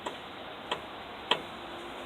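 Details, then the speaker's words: 1994 Ford F250 front wheel bearing checked during a brake change: four sharp clicks as the wheel is rocked by hand, about 6–7 thousandths play (3–5 acceptable), bearing to be tightened. "Hear that? That's about 6 to 7/1000ths. We're going to tighten that up."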